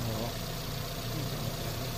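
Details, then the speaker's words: 2008 Hyundai i10 automatic, fresh top overhaul, after misfire repair: low, even idle with a smooth, unbroken beat, no stumble or misfire; engine now running clean. "Ah wala na oh. Smooth na kaagad eh."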